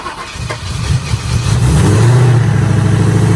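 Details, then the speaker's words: First start of a 2011 Mustang GT 5.0 Coyote swapped into a Fox body, with a built AMS Racing forged block and stock heads and cams. Brief crank, then a deep, even V8 rumble with no misses; healthy start with high oil pressure. "There it is. Oil pressure? Oh shit, you got a lot of oil pressure."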